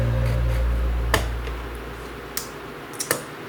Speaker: And I'm not sure if you guys heard that, but you'll hear kind of a little clicking sound when the memory card is correctly in place.